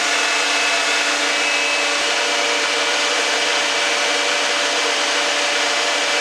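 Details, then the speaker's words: Dodge Dakota electric radiator cooling fan after repairing a loose ground connection: loud steady rushing air with faint constant hum, no rattle or scraping; running normally. "I'd say it's working pretty well. I got this all finished up."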